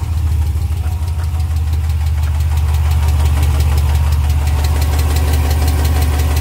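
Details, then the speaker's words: 2020 Ram Hemi truck, 12,450 miles, sat about two weeks, remote cold start: fast light ticking, about two per second, over steady idle; owner suspects lifter tick or knock, first time, gone on restart a minute later. "just remote started my truck. Listen to this ticking."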